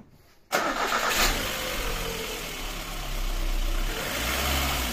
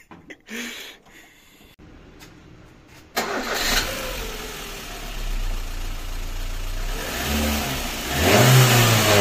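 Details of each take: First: VAZ 2110 petrol engine starting cleanly and idling steadily with a light rev; it runs smoothly with no body knocking. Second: VAZ 2110 engine starting and revving with heavy low drone; strong vibration and knocking into the body, linked to a stiff engine mount, with a mismatched Priora stabilizer and worn suspension arms also rebuilt.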